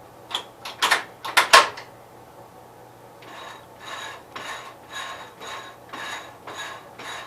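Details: 1973 Gravely 810 tractor transmission after PTO change and side cover reinstall, turning in gears with axles spinning: soft rhythmic whirring clicks about every two-thirds of a second, no knocking or grinding; normal gear mesh.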